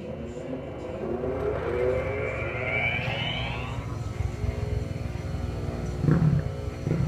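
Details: Enco tool grinder after fitting machined coarse and fine diamond wheels with 8 mm countersunk screws, test run: winds up smoothly then steady even hum, no vibration, water cup shows no ripple.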